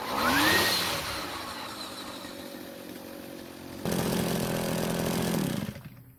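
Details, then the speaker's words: Green Machine string trimmer, just revived: revs up, drops to a steady buzzing idle, surges higher, then shuts off. The head kept spinning at idle because idle speed was set too high; turning it down fixed it. "Now, the head doesn't want to stop spinning either, but I think it's because the idle is set too high, so I'll turn it down and see if it stops spinning."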